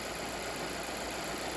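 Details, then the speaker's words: 2015 Volvo S60 idling after coolant-leak repair and refill, warming up to bleed the cooling system: even, steady idle with light fast injector and valve ticking, slightly diesel-like; engine runs smoothly, no problem. "It doesn't sound bad at all. This engine runs really well, really smoothly."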